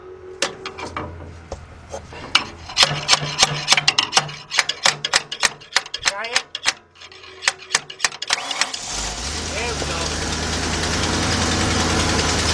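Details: Car with a failing starter: sharp metallic taps as the starter is struck to free it, then the engine catches and settles into a steady, even run. Should be shut off until repaired. Normal running.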